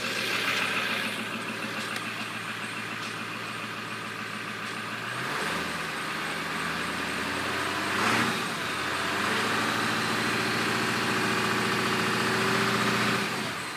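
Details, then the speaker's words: 1997 Ford F250 Powerstroke diesel, cold morning idle around 40°F: quick, light ticking over the idle clatter, steady and not RPM-related; occurs only cold at first start, disappears when warm, cause unknown. "doesn't seem to be RPM related only seem to do it at idle so you guys have any ideas let me know"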